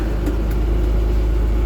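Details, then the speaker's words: 2000 Thomas 3800 school bus, low-mileage DT466E diesel, about 100°F day, just started: deep, steady rumble with an even, regular beat and no knocks or misses; normal, smooth idle. "There we go. Very good sounding DT466E."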